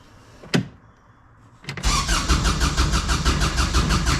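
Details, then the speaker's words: Kubota RTV900 diesel, sat long, new starter, around 40°F after glow plugs: cranks at steady chug about three beats per second without catching; owner suspects fuel bleeding off, starts with a little throttle. "The fuel's bleeding off or something's going on with this thing. It's I It's not that cold today. 40 something probably. This thing definitely got some weird issues."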